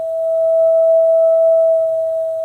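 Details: Whistling tone around 650 Hz from a gas water heater while the burner runs, caused by the burner jet; disturbing the jet (knocking it out of balance with a hammer) stops it.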